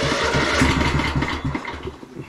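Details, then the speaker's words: 2004 Craftsman LT1000 riding mower, Kohler Command Pro 16, started without choke: sluggish, uneven chugging that loses speed and fades out without catching. Slow cranking. "now it doesn't want to run at all huh all right besides the fact that it didn't start real great"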